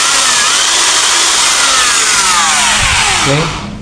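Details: Modern M2130B electric drill, dead before, repaired, tested in both directions on mains: high steady whine at clean even pitch, winding down smoothly; sounds healthy.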